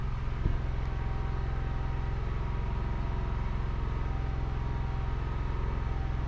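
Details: Portable generator pushed close to the trailer, no load, heard from the front bedroom with doors open: low, steady, even hum with no surging or hunting; idling quietly and smoothly, far quieter than the built-in Onan.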